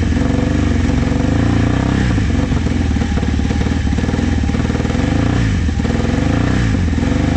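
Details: Vintage motorcycle from a trailer batch, started with starting fluid. It keeps going only on blipped throttle, with revs surging and sagging and never settling, so it won't idle. Owner says it needs carb work.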